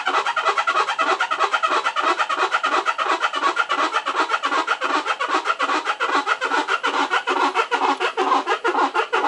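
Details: Maytag top-load washer model MVWC400XW2, tub giving a rhythmic squeaky creaking, several groans a second, when turning slowly.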